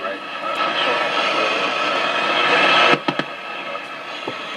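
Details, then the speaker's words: Stewart Warner 61T26 mid-1950s slug-tuned AM tube radio tuned to a weak station with its chassis ground removed: heavy hiss and crackling static swamp the station. It gets much noisier without the ground. "You can hear it gets a lot noisier without the ground. So this is how you want it to be, and yeah, it's well, I got this as close as I could get it."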